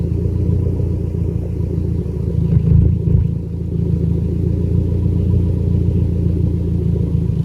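Low rumbling idle with an uneven lope and occasional stumbles in the beat, milder than a full miss; a slight idle misfire remains.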